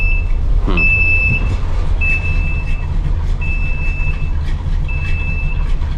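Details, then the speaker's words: RV rebuild cold start, running with no choke: high beep about half a second on, repeating every second and a half over low engine rumble; low oil pressure alarm sounding, owner wonders if it is a false alarm. "Low oil pressure's going off. Wonder if that's just a false alarm or..."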